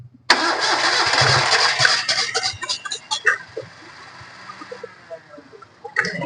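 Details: Maruti Alto 800, cold engine, radiator full. Uneven, labouring long crank before it catches and stumbles into a rough, misfiring idle. Hard start from a warped head and blown head gasket after overheating; coolant is mixing with oil and steam comes from the radiator.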